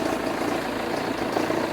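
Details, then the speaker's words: Jeep Renegade returned from another shop, at idle: steady, loud rough chatter and whirr with unchanging rhythm from the accessory belt drive, not engine internals; belt to be removed for checking; accessory belt drive noise. "faz um barulhão aí pessoal tá vendo o barulho é um barulho muito forte então o que que acontece a gente vai fazer a retirada da correia de acessório"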